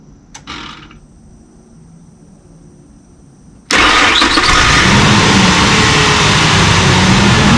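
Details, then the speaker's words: 2002 Ford F150 4.2 V6 test start after replacing intake manifold isolator bolts (gaskets already replaced; codes P1131, P1151, P0174, P0171) and fixing vacuum leaks: engine catches cleanly, settles into steady even idle with no misses or hiss; idle problem fixed. "AC, I pretty much fixed all the air leaks on this thing, so I'm super relieved that fixed the truck."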